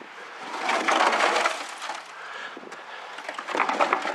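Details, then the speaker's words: 1969 Lincoln Mark III fuel tank, removed from car, rusted and brazed: loose gritty sliding and rattling as the tank is tipped end to end, no engine running; rust and junk shifting inside, tank replaced. "Alright, I'm going to pick one end of this tank up and see if you can hear all the crap in it."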